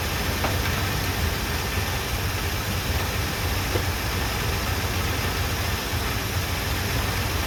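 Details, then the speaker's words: 1978 Chevrolet C10 V8, running off its gas tank after new plugs, wires and first oil change in 10 years: low, steady rumble with even pulse, no knocks or misses; normal smooth idle, though smoking noticeably. "We'll let it sit here and see if she'll idle for a few minutes."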